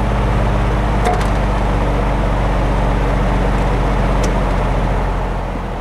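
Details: Lakewood box fan (reversible, thermostat, push buttons) running on high, mic near the motor with furnace, AC and dehumidifier in background: steady low hum and even whoosh, no squeal or scraping; runs smooth.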